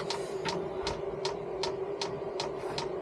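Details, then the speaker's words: 5K Chinese diesel heater fitted in a Renault Master van, first fuel priming: dosing pump gives crisp, evenly spaced ticks about 2.5 per second over a faint hum; fuel slowly reaching heater, normal priming, not yet firing. "so I'm just going to leave it and see what happens I know it takes a while for it to pump this stuff around"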